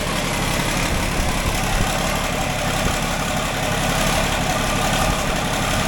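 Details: John Deere 4640 tractor diesel, started after sitting a while and after a new radiator was installed, runs at a steady even idle with a smooth low rumble and no knocks or misses while warming up; normal idle.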